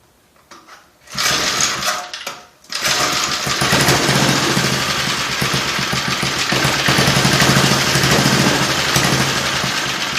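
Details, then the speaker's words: Small single-cylinder engine (60,000 series) for a mini bike build, valve spec 5–7 thou intake and 9–11 thou exhaust: sputters and catches after a few tries, then steady fast putter; runs fine, may need more tune-up. "All right, I'm happy this thing is running. Just like to hear it run, you know?"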